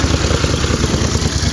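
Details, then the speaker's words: Warm 1983 Honda GL650 Silverwing Interstate twin with a new head gasket, idling with a steady, slightly raucous low burble and even pulses, no knocks or misses; the owner says the carbs could use setup. Normal idle. "so you can hear hopefully this sounds here a little bit or raucous has a nice little castle on the overrun"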